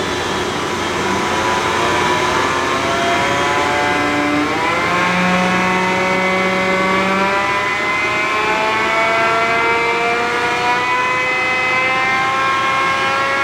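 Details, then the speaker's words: John Deere Green F12-090 hydraulic motor on a no-load bench test after teardown and reassembly. Smooth, steady whir climbing evenly in pitch with no squeal or grinding in this direction; the customer's reported squeal is not reproduced. "I don't hear it sqeauling. Try it the other way? All right. No noise that direction."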